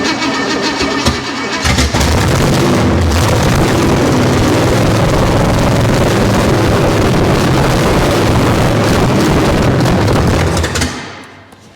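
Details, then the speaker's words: Junkyard 305 V8 first start on premium fuel, timing being advanced, no accelerator pump: runs loud and ragged about nine seconds, then dies. Apparently starved of fuel; oil pressure present, no heavy clatter. "it's not getting any fuel there my gauge fell down sounds like it has oil pressure though cuz it's not completely clattering around"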